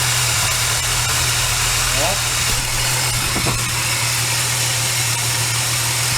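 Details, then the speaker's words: Supercharged VY Commodore L67 drive belt pulley bearing heard via microphone on a steel bar: steady engine hum with a smooth even hiss, no grinding; quieter, acceptable, unlike the drier-sounding first pulley being replaced. "This one's not too bad."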